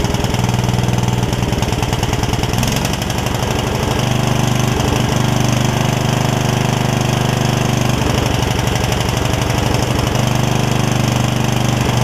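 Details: Yard Machines rider single-cylinder, first start after its water-filled engine was cleaned out, thumps at idle with an uneven beat and occasional stumbles. The owner suspects it is a little rich and blows a rust cloud; the valves were not yet gapped.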